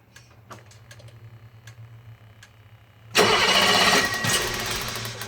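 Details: BMW 635CSi E24 at normal operating temperature, unused for two months: quiet hiss and clicks, then long crank catching with a rough, uneven surge; hard warm start, owner suspects fuel starvation or fuel pump, unconfirmed.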